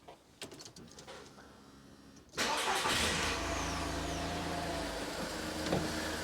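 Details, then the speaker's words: 2005 Skoda Fabia 1.2 petrol after a spark plug and ignition coil change: short crank, catches at once, settles to a steady even idle with a light rev, no stumble or misfire; normal start and idle. "sounds good give it a little rev yeah that sounds nice ticks over nicely"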